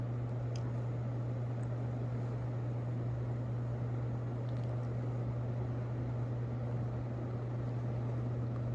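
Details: Casablanca Lady Delta ceiling fan running on high: a steady low hum under an even rush of air, with no ticking, rattle or wobble. Very quiet overall; only faint bearing noise was noted at medium. Normal operation on high speed.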